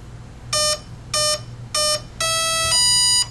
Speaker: three beeps to indicate that it recognizes a three cell Li poly battery then low high to indicate that it's armed and ready to go